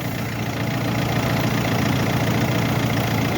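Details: Mercedes that would not crank even with a new battery, running after the hard-to-reach starter motor had its brushes' copper contact restored. An even, steady idle rumble with no stumbles or knocks. Healthy engine.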